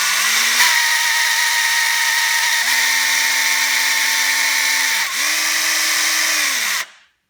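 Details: 4-month-old Parkside PABH 20-Li B2 cordless hammer drill: motor whine steps between speeds with a faint high squeal on top, recurring through the clip; strange noise under load, cause unknown.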